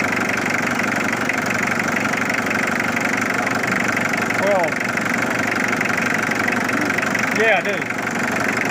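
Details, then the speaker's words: Mitsubishi Triton 4D56T turbo diesel idling after first start in 10 years, timing belts and battery replaced, original diesel left in: steady, even, unhurried diesel clatter with no misses; settles into a smooth normal idle. "okay I should have changed the oil filter but at least you know it starts all right"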